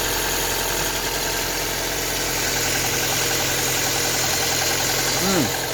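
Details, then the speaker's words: Ford Focus MK1 1.4/1.6 petrol, cold, first start after replacing the fuel injection rail with a second-hand one over rich fuel trims: engine fires and holds a steady, even idle under hiss, no misfire or ticking; injectors not leaking, normal idle. "okay so the injector's all good they're not leaking it's running we're going to let warm and then we're going to take it on a drive to the petrol"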